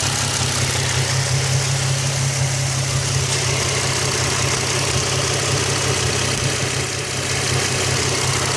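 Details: Nissan 350Z at idle, with a light, fast ticking from the top of the engine that rises and falls with revs; cause unknown.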